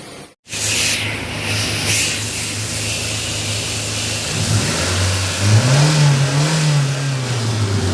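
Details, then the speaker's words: Hyundai Santro Xing that had missing and poor pickup, after replacing the camshaft position sensor: it starts and pulls smoothly through acceleration to about 40–50 km/h on a test drive, with no stumbling. The misfire is gone. "तो जैसा कि guys आप देख पा रहे होंगे, इस गाड़ी की जो मिसिंग है वो पूरी तरह से ख़त्म हो गई है।"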